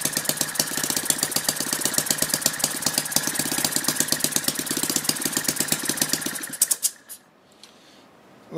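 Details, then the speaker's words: Lynx 15 model engine on two-stroke mixture, after refitting the tank pickup tube that had let the carburettor suck air, compression now higher: quick even firing with steady high rattle for six seconds, then ignition cut; runs smoothly. "pretty happy with that so it seems to be starting pretty easily now compression's much higher now"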